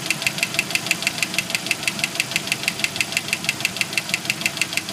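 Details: 1991 Jeep Wrangler YJ 2.5L engine knocking at idle, sharp even metallic ticking about three times a second; owner suspects broken piston skirt and failed lifters on cylinders 2 and 4; knock stops around 5 seconds in, then gradually returns.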